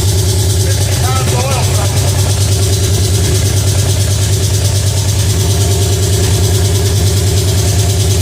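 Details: Pontiac 350 V8 in a '50 Pontiac gasser, first fire-up, timing about 8 degrees: fast, steady idle that never drops to a normal lope; the unconnected choke keeps it on high idle.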